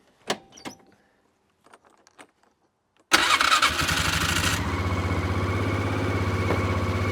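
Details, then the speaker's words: Neglected ATV that sat unused, fresh battery, choke on, key in run: clicks then engine catches instantly and settles to a steady even idle, no heavy smoke; apparently just needed a battery; normal start. "So it runs, but is there anything major wrong with it? I don't see any crazy smoke coming out of the back."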